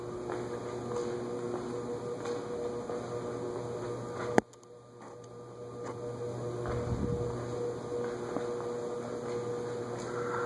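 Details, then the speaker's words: Vintage Emerson ceiling fan (believed to be a 16-pole motor) running at medium-high on a variable speed control: steady electrical buzz with a low hum; such motors don't do well on variable speed controls. "the emersons they I believe are 16 pole Motors and don't do well on variable speed controls nevertheless I've seen them sold with variable speed controls"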